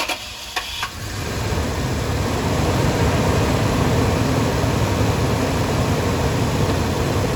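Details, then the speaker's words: 2007 Toyota Sequoia 4.7L, restarted after cleaning a very dirty part; catches after a couple of brief cranks and settles into a steady, even idle, no roughness or misfire, battery voltage healthy. "Look at that. Look, it's not running rough anymore either."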